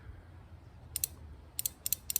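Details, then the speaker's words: Relay for an older Whirlpool Duet dryer main control board, bench-tested with power applied: crisp paired pull-in and release clicks, relay switching cleanly and working normally. "All right, guys, if you can hear this, where we had continuity, I'm putting power to it, and you can hear the relay working."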